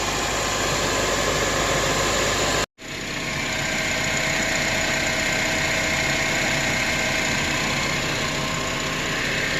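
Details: Acura TSX at idle after the new tensioner and serpentine belt were refitted: steady, even hum with no squeal, chirp or rattle from the belt side; noise gone, healthy.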